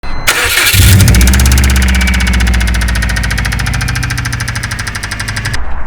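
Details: Knackered Subaru Impreza WRX turbo boxer, cold start: cranks, fires and idles with fast, hard metallic rod knock; possibly from running boosted engine on low-octane fuel; needs a new engine.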